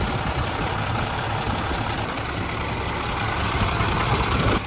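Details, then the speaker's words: 466e truck with RL-3 grapple, idling diesel while hydraulics are worked: a loud rushing hiss that cuts off sharply as the relief valve pops off, then fluid is seen pouring out at the back. Hydraulic relief valve blowing off. "that pop off valve is very ferocious"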